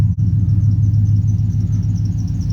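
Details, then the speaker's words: LS-swapped V8 started cold (about 30 degrees out) right after new spark plug wires replaced a temporary plug-wire fix; deep, steady, even rumble with no misfire, only a squeaky belt; normal idle. "let's fire it up let's see what happens see what kind of misfire we got now [Music] other than a squeaky belt that's a win"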